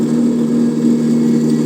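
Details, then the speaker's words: 7x14 mini lathe (Vevor-type) with new spindle bearings: steady droning hum with a rough rumbling edge at constant speed; owner believes there was too much preload on the rear spindle bearing. "Bueno, chicos, creo que había metido demasiada precarga aquí en el rodamiento este de la parte de atrás del torno"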